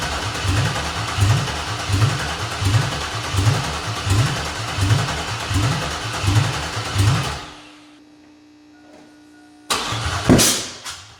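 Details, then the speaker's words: Chevy Silverado (2001) with swapped 5.3 V8 from a 2000–2001 Tahoe, open exhaust, idling lumpy with regular stumble before shut-off; one cylinder dead because a mouse-chewed spark plug wire is missing. "is forgot one of my plug wirs was chewed up by a mouse and I don't have that"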